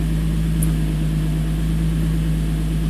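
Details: 2005 Infiniti G35, VQ35DE Rev-Up, 6-speed manual: a smooth, deep, even idle with no stumble or skipped beats. Air-fuel ratio reads about 14.7, so it runs cleanly on all cylinders.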